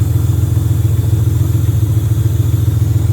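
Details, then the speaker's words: J35 V6 sandrail warming at idle as the cooling system burps air bubbles; fuel is old and the fan switch is bad and jumpered. Deep, even idle with no knocks or misses; healthy. "Oh, we're starting to see some water temp there. So I bet you it needs to burp. But it's all working."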